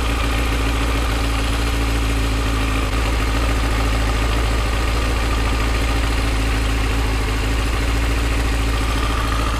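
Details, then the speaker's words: Yamaha FZ6 idling in neutral with clutch lever pulled, spec idle 1300 rpm: steady even idle with light rattling chatter of clutch plates over the low engine note, a normal sound. "basically when you're in neutral clutched out you hear the plates chatter against each other and some people get confused and scared and worry about that being a problem but it's not"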